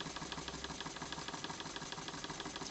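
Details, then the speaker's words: JLS 13-2 twin-cylinder model steam engine running on compressed air at about 400 g to 1 bar, after a loose screw that had blocked it was fixed: a quick, even puffing beat with no knocks or hesitation. "elle tourne superbement à l'air à des pressions très faibles"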